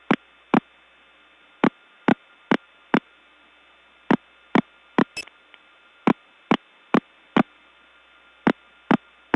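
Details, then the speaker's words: Early-1979 Gainesville, GA step tandem mapping, test code 106: irregular sharp clicks about twice a second over a faint high tone; unidentified, broken, annoying and very hard to get off of. "actually not sure what this is but it certainly is something that's broken not only broken but annoying very hard to get off of"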